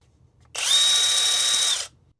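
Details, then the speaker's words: Battery impact wrench (Amazon home unit, used for wheel lug nuts) measured with Uni-T UT353 sound meter at about 97 dB: short steady high-pitched whir spinning free; tool operating normally. "so you you'll hear this snapping noise of the impact driver inside here um at least that much per lug nut"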